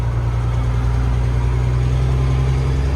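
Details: Dump truck diesel that owner may have to pull apart; oil change hasn't cleared it; heavy idle with a deep, uneven beat that never settles into a clean rhythm; rough running, cause not pinned down.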